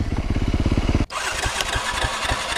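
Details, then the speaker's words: Dirt bike on a warm ride: it was backfiring and running rough, then died; it restarts with slow, irregular coughs and misses and keeps running unsteadily. Rider suspects a gunked-up carburettor, not confirmed. "Oh, it's still coughing. It's got it though, it's moving."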